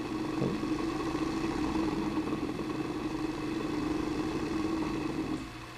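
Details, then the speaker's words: Vintage electric motor, started through a current-limiting resistor with half bridged out: hum rises quickly then holds at one pitch, the capacitor and main winding resonating, so it hangs short of full speed. "So you see it reaches a certain point and then it kind of magnetically pulls itself back down. That's the capacitor and the main winding are interacting and building up a resonance. It should get past that if it has a little more power."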